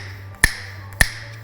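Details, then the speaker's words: Shock absorber with factory hydraulic stop overwhelmed by heavier aftermarket wheels and tires: three sharp metallic clunks about every 0.6 seconds as it bangs into full extension, clunk transferring into the chassis; risks shearing the shaft at the piston nut. "the extension clunk that you hear as it transfers through the body of the shock and into the chassis"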